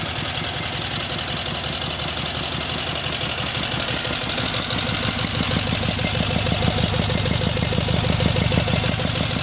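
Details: Cub Cadet 1811 M18 twin engine with severely cracked block patched with silicone, fast idle: sharp, fairly regular knock about three times a second; source of knock uncertain, cause not confirmed; engine knocking.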